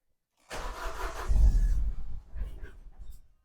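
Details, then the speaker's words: Vauxhall Zafira GSI (Z20LET) sat unused for 7 years, first start attempt: catches after cranking, then stumbles and shakes unevenly, never settling, and dies; something sounds like it's pushing somewhere. Rough running, cause unconfirmed; fresh petrol to be fetched. "Oh, she's a dog, man. Wow. Right, something sounds like it's pushing somewhere."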